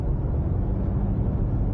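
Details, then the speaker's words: Last-generation Ford Ranger Stormtrak (T6) diesel while driving: heavy low drone with coarse gearbox rumble, loud but steady; engine–gearbox combination unrefined and noisy, normal for this drivetrain. "The older models engine gearbox combination it's much more unrefined than the new one, and it's actually quite noisy as well."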